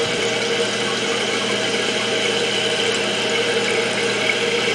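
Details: Toilet after replacing the fill valve with a Fluidmaster, tank refilling: steady even hiss without gurgling, sputtering or chatter, float rising until shutoff; fill valve refilling normally after repair.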